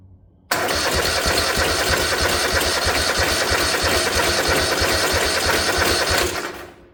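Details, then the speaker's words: 1972 Gravely 816 tractor, Kohler Command 18 engine, holed gas tank but fuel reaching filter, pump and carb: steady cranking about three beats a second for six seconds, no start; carburetor found very dirty, needs cleaning. "Let's take this top of this carb off. It's got gas in it. It's just real dirty."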